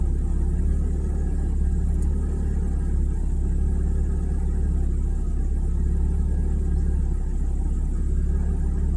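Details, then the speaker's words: 1997 Mazda Miata NA idling with the AC switched on: low, uneven idle rumble that sags and hunts as if trying to catch up, giving a rough idle that improves a little with the AC off. "like it's trying to catch up. There it goes. Here's the rough idle."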